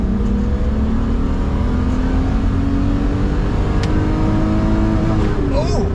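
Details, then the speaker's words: BMW E12 5 series with Euro M90B35 high-compression straight-six, manual, first drive: strong, clean pull climbing steadily to redline around 6,200-6,400 rpm with no stumbles or knocks under hard throttle; normal acceleration, engine feels healthy. "Okay, so the red line on the cluster is the right red line. Okay. I was not expecting it to hit. 6,500 or 62-ish? 64, it looks like."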